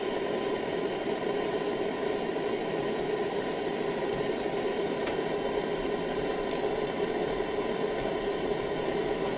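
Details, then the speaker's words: Roberts RP28 radio not working on LW and MW, signal injected during repair: only a steady even hiss with faint hum; nothing gets through the IF stage at all, pointing to a dead IF stage. "there's nothing getting through on the iaf at all"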